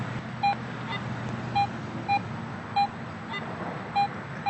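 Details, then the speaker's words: Garrett AT Pro metal detector after automatic ground balance, coil swung next to the ground: crisp, repeated mid-pitched beeps about once a second bouncing toward a high signal, no ground chatter; clean target response, screen showing 8 inch depth. "I'm getting a Target response there and it's bouncing up toward a high signal it's a little you know iffy at times but to me there's clearly something down there"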